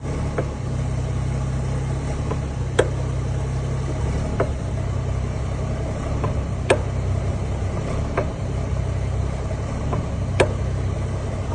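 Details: BMW M140i xDrive with Wavetrac limited-slip rear diff, while driving: sharp single clunks every few seconds over a steady drone; driveline clunk from the limited-slip differential, cause asked but not confirmed.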